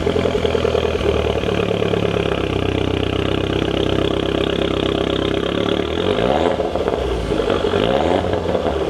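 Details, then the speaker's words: Mini Cooper S after exhaust mod, first start back on ground: loud raspy engine held at steady rev, then two clean blips; not too loud but backfires loudly; normal revving with open exhaust. "It's not too loud. It does backfire pretty loud, but that sounds brilliant."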